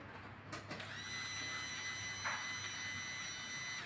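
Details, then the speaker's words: Maruti Suzuki Omni MPFI, cranks but won't start; electric fuel pump bench-tested outside the tank on ignition, dry with no fuel; thin steady whine holds about three seconds then cuts off cleanly; normal fuel pump run. "On ചെയ്യുമ്പോൾ ഇത് ഇപ്പൊ മൂളിച്ച കേട്ടതാണ് ഇത് ഇപ്പൊ cut off ആയിട്ടുണ്ട്"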